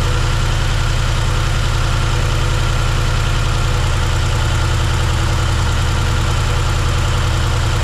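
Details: 1971 C10 V8 first start, cylinder three dead, lifters possibly misadjusted, later cylinders two, four and six found near zero compression: deep, lumpy idle, uneven stumbling beat with missing pulses; low compression, rough idle.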